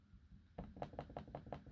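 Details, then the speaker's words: Dell XPS 15 9500 (2020) after two weeks of use: seven quick hollow, rattly clacks while just scrolling, not clicking; loosely seated, wobbly trackpad. "That's basically the wobbly trackpad, if you get what I mean. You can clearly hear that, I hope. I ain't clicking it. I'm not clicking it. I'm just scrolling as you do."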